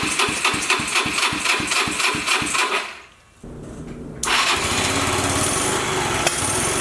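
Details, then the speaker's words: Wrecked auction Yamaha Vino 125 scooter with a bent down tube and 120 PSI compression, started by jumping the starter. Steady cranking about four turns a second, a pause, then it fires and holds an even idle; electric start works. "It works! Sweet, electric start and everything."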